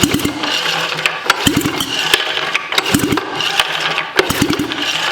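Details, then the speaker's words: Sachs Wankel KM24 rotary engine of the type used on the 1974 Arctic Cat Lynx, freshly cleaned carb with fuel present: starter cranks in uneven bursts with soft weak puffs, no firing; low compression from pitting and compression leakage prevents starting. "all right let's give her a couple cranks there's fuel there's fuel it doesn't feel like it has a lot of compression though"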